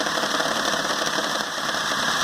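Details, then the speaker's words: Peugeot 206 after front-end collision repair, idling; uneven, rattly, stumbling idle with hoses vibrating, misfiring and running rough; belt-side noise suspected from alternator or power steering pump. "olha como que a mangueira vibra ó você vê que o motor tá com funcionamento horrível"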